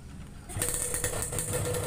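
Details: 2001 Yamaha RX King two-stroke, oversize 0 overbore, pilot jet 27.5, main jet 160, fresh reed membrane setting, baffles removed from exhaust: catches and settles into a crackly, popping, even idle with no misses; running cleanly.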